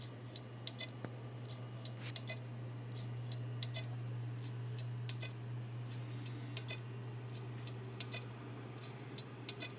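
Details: Seagate Barracuda ST2000DM001 desktop hard drive: sharp repeated clicks over steady low hum, started suddenly with no physical stress; visible in BIOS once, then not detected, though CrystalDiskInfo showed no bad sectors days earlier.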